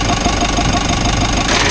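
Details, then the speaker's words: Mitsubishi L300 Euro4 with weak AC cooling, compressor engaged via the thermostat at idle. Rough, gritty grinding like a corn mill; the cause is unknown and pressure is still to be checked with gauges. AC compressor grinding noise. "Grabe ingay. Yatay ko muna ulit kasi parang parang gilingan siya ng ko alam kung mais o parang may ginig-gilid siya sa loob."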